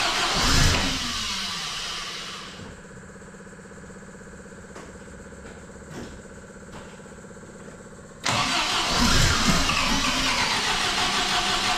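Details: MGB engine after major overhaul with supercharger newly fitted, first start, run about 40 seconds with no coolant yet: hard to start, then idles unevenly with faint irregular pulse and loud blips; rough running, owner thinks it needs adjusting, cause unconfirmed.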